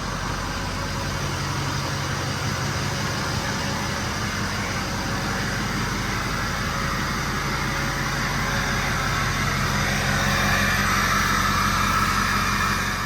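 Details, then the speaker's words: 2005 Ford F250 6.0 Powerstroke diesel after fuel tank pickup repair and pump priming, quarter tank of fuel: steady, even idle with regular settled clatter, no misses or surging. Normal idle after fix. "He's getting ready to fire it up here in a second, and this thing's fixed."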